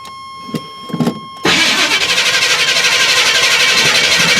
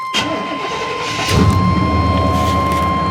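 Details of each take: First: Truck with a replacement starter, battery weak and not cranked for about two weeks: long crank with high-pitched starter whine for about four seconds before firing; better than the earlier knocking against the flywheel, owner suspects heat will worsen it and plans new starter, flywheel and brace. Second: Truck with a crate motor of about 21,000 miles (191,000 on the truck), small coolant leak of unknown source, earlier 44/45 code: brief crank, catches after about a second and settles into a steady, even idle. Normal start and idle.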